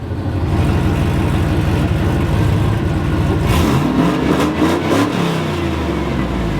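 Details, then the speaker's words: LS V8 Silverado/Suburban truck with a mild cam under test, said to tow worse than stock with little low-end torque; choppy, slightly lumpy idle then a few sharp revs that rise and drop cleanly, some exhaust leaking before the muffler; normal running. "It really doesn't sound bad. It really doesn't sound bad there. It really doesn't."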